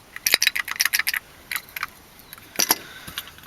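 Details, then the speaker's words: RV black-tank flush vacuum breaker valve, removed, shaken by hand; loose uneven clinks of broken pieces rattling inside: cracked vacuum breaker valve rattle. "so this is the bad piece that was cracked you can hear it"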